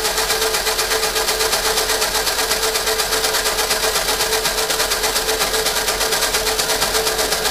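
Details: 1952 Fordson E83W pickup with a 100E engine, stored since 1982 and freed from seized pistons and valves: steady starter churn about twice a second that never catches; cranking without starting.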